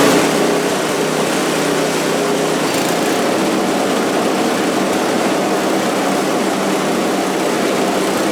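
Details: Scrap-heap snowblower after its carburetor, which held oil-like sludge, had the bowl cleaned and the jet flushed with carb cleaner: a small single-cylinder holds a steady, even buzz without surging or stumbling. It is running cleanly.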